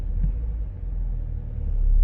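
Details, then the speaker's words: BMW X5 E70 with drivetrain malfunction warning, rough hunting idle: low, uneven idle that sags and surges as the tachometer bounces, nearly stalling; fixed by replacing a VANOS solenoid. "look see it's almost about to turn off see that so I wanted you to see exactly what it was doing so that we can try to fix it"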